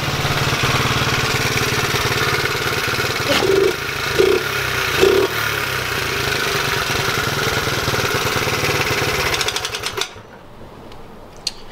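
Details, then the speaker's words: Small single started cold and nearly out of fuel idles with a fast, uneven metallic rattle and louder clacks, then cuts out; rattle source unclear. "it's uh bit cold as you can see um it's almost out of gas too but I think it'll start I'm not really sure what that rattle is"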